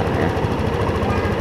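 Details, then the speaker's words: Yamaha Lexi scooter that suddenly would not start, after fixing a burnt, melted ECU socket likely shorted by water: engine starts and runs with a quick, even putter, no misses, knocks or dropouts. "Kita coba. Ah, hidup. Oke, hidup ya. Oke, hidup ya. Ternyata. Suaranya ya terdengar ya, dan lihat bunyi ya, muter ya."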